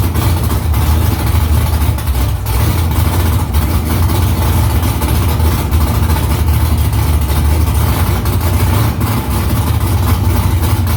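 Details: First start after new headers were installed, exhaust back under the car; louder under the seat. Deep, even V8 burble at idle with loud exhaust, no knocks or misses. Smoke is from silicone drying around the header. Normal idle.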